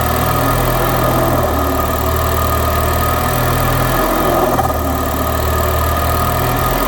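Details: Citroen DS3 just after fitting an upgraded performance induction filter, cold start: slight wobble in the low hum evening out into a steady smooth tick-over, nothing lumpy; normal cold idle.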